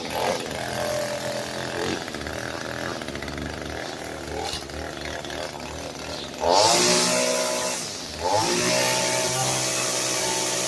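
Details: Echo SRM-225 string trimmer after installing a tune-up kit and new primer bulb, started on choke at about half: uneven puttering at first, then it revs sharply to a high buzzing whine and holds; running fine.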